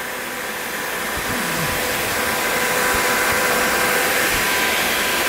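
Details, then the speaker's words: Small electric cooling fan on Kawasaki KZ 650cc shifter kart motor, after adding spring spacers: steady airy whoosh with faint constant hum, no rattle or scrape; working well. "seems to be working pretty well"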